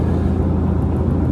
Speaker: if you're wondering what that noise is, it's a ceiling fan above my head, and it makes this vibrating, rumbling noise.